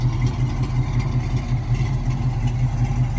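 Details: 1968 Ford Mustang coupe, 302 V8 with mild cam, 3-speed manual: deep, even burble with a steady low beat and no knocks or ticks; healthy idle with mild cam lope.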